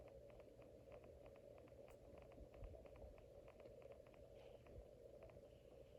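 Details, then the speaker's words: Casablanca 19th Century ceiling fan at speed four, steady mid-pitched hum amplified through metal-to-metal motor and blade mounting with no rubber; owner suspects worn bearings causing faint clicking. "Since there is no rubber of any kind in between the motor and the blades and all that, it's nothing but metal to metal. So when you change the speeds and when the motor runs, it's really amplified."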